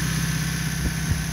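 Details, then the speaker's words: Old Toyota pickup settling to idle as fan clutch slows: steady low idle, no puffing or ticking at manifold; exhaust manifold not cracked, perfect running example with no timing belt slap, knocks or valve ticks. "it's a perfect running example it's going to idle down here once the fan clutch kind of stops moving the exhaust manifold's not cracked"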